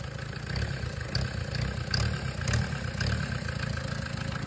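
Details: Tata Indica diesel with poor pickup, hose removed: rough, uneven revving with a low heavy drone and no clean rise; faulty EGR valve blamed, to be blanked or replaced.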